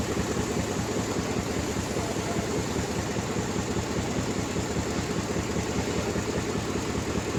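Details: Ford Expedition V8 idling with an uneven, stumbling beat from a misfiring cylinder, checked with a Launch X321 Pro scanner.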